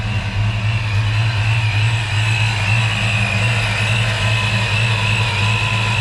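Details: 1993 Ford Mustang Saleen SA10 chassis after replacing the fan clutch, MSD coil and supercharger belt: steady, even engine note with faint supercharger whine and no more fan roar; normal running.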